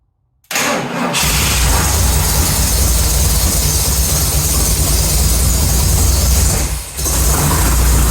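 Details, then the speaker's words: Ford 460 big block V8 in an F-100, first start: brief crank, catches cleanly, settles into a deep even idle with one short dip; healthy motor, normal start and idle. "I am super excited to hear that 460 firearp I hope everyone else enjoyed that as well uh now that we know we have a good healthy motor it means we can really move forward with the project"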